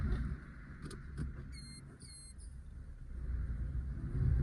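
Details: 2016 Suzuki Wagon R AMT, 54,000 km, after the AMT actuator and slave cylinder were cleaned (complaint: it later locks in fifth gear). Steady low idle, a few light clicks and a brief whirr as it shifts into reverse, smooth with no clunks.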